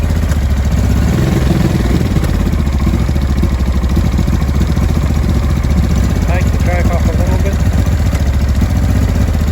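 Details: 2005 Honda Deauville NT650V twin just restarted after carburettor refit (vacuum pistons repositioned, pilot screw about 1¾ turns out), cold on full choke: a fast, slightly uneven putter with odd exhaust pops. No air leak, it is just cold.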